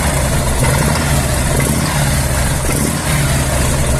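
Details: Harley-Davidson Evolution 1340 V-twin idling with a deep, uneven knock under the lumpy beat, from a dying crankshaft.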